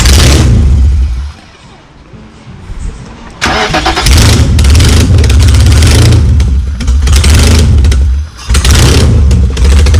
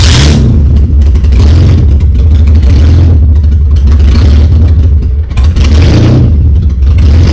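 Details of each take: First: BMW E30 with engine swap, sat over a year, no exhaust fitted: engine cranks, catches and revs hard with a loud, raw, unmuffled bark; started right up, water pump leaking coolant. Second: BMW E30 drift car engine, started right up after sitting over a year, running with no exhaust fitted: loud deep raw blat rising and falling with repeated revs, no knocks or misses; motor judged good.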